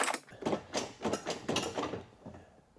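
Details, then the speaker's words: 2006 Scion tC door handle worked from outside: loose, hollow clattering about three per second with nothing catching, while the inside handle works fine. A piece inside the door is wiggling; the handle rod is disconnected from the latch. "That actually sounds very wrong. The inside handle works just fine."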